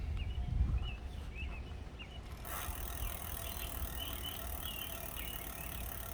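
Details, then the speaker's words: Lectric step-through e-bike wheel spinning freely: light metallic tings about four times a second; loosening the brake showed the outer pad rubbing the rotor: disc brake pad rubbing rotor. "Yep, brake noise. And since I loosened it up here, we know now that it's this outside pad that's rubbing."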